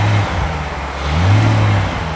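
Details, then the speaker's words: 2008 BMW 550i V8, warm (off about 1.5–2 hours), after VANOS solenoids were cleaned with a paint brush for low-rpm power loss and misfire-like driving without CEL: deep rev climbs and settles evenly, no stumble or miss, feels reactive and smooth. Normal free rev. "hours yeah it's it feels pretty reactive feels pretty smooth"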